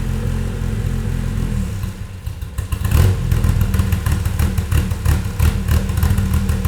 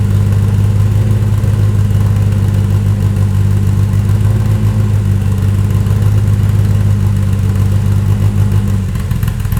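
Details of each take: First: Toyota 2.7L 1AR-FE in MR2 Spyder on Haltech Elite 1500, 280° cams, coolant warm, intake cam advanced 30°: deep lumpy idle turning choppy and loping with uneven pulses; too much valve overlap. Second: Toyota 2.7L 1AR-FE in an MR2 Spyder on a Haltech Elite 1500 ECU, stock except 280° cams and valve springs, intake cam advanced with idle raised: steady loping idle with an even rhythmic lump. Healthy, no knocks or misses.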